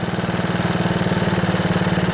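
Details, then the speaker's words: Older Honda HRB215 Harmony lawnmower that started then died, ran only on choke after storage; after a thorough carburetor cleaning, air filter off, choke off, it idles steadily with even putter; normal idle, though it later wouldn't rev fully (governor spring). "Yeah, that sounds pretty good. Gonna let it warm up a bit."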